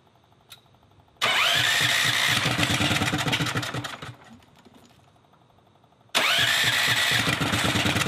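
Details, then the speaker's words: Predator 420cc turbo drift trike after hall ignition pickup adjustment and battery disconnect: catches and revs, then sags and nearly dies at low rpm before restart; rough down low, suspected computer relearning. "it sounds like it's turning up more yeah definitely it just doesn't I mean maybe it's just a computer learning or something but it doesn't sound great in the lower now"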